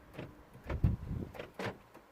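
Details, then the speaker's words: 2010 Vauxhall/Opel Meriva-B at key on: quick bursts of whirring clunks from the doors as the lock actuators fire by themselves; rear door lock fault, with a locking warning light and BCM code B2524-59. "Can you hear the doors going on? So key on. You see, I don't know if you can hear it. Take the key out. There's something going on the locks."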